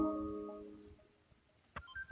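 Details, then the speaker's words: Samsung 40-inch TV after replacing two power supply MOSFETs, supply reinstalled: a soft musical power-on chime fading within a second, then faint clicks, with the CFL backlights on; it powers up normally. "You can see the LEDs. Sorry, it's not LEDs, it's actually CFL bulbs. And you can hear the chime."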